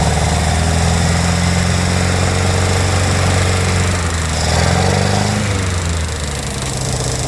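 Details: International Harvester Scout 80 barn find (1961/1964) after years of sitting, on choke. Low four-cylinder idle sags and picks back up; running again but not fully settled.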